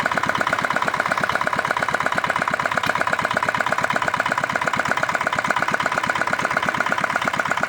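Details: R180 single-cylinder diesel with new crankshaft and bearings, previously failed after a quarter hour, now refitted and started: steady even thump at idle with unbroken rhythm, no knocking or clatter; bottom end sounds healthy.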